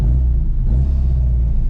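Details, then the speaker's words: Classic Mini John Cooper conversion with twin SU carburetors, first drive after cutting out: deep steady rumble slightly above normal idle; owner suspects sticking throttle cable and fouled plugs, plans to lower idle speed. "Oh dear, let's go and have a look. Right, we're up and running again, albeit slightly high idle now."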